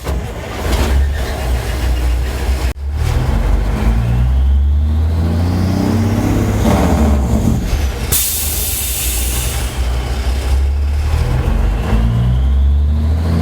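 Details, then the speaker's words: 1983 Peterbilt 359 diesel, warmed up, with the Jake brake switch on: revs and falls with deep rumble, air hiss and hard exhaust barking as it slows; Jake brake solenoids working. "we know that the Jake brake solenoids and gate brakes work now"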